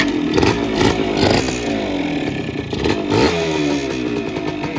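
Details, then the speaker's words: DT100 two-stroke, cold engine with choke pulled, new fuel tap, separate 2T oil tank, original parts: it fires on the first kick, then crackly blips rise and settle steadily with no misfire; a quiet, strong, normal cold start. "ทีเดียวติดนะครับทีเดียวติดเครื่องเงียบๆนะครับผมเครื่องแรงๆเลยเข็มไมค์ขึ้นปกตินะครับผม"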